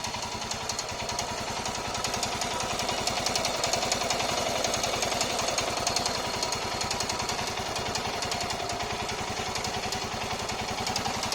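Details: Royal Enfield Himalayan BS6 single-cylinder: fast, regular metallic ticking, three or four per second, over idle; clicking engine problem, cause unclear.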